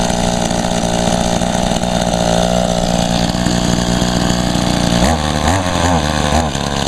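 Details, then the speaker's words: Echo two-stroke equipment, first start in about a year and little used; small two-stroke buzzes steadily then sags and surges unevenly; very boggy, owner attributes it to almost no gas in tank, also wonders about a clogged spark arrestor screen. "yeah she's very boggy though it's just because it's not much"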